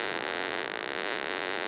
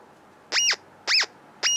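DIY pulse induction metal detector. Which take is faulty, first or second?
first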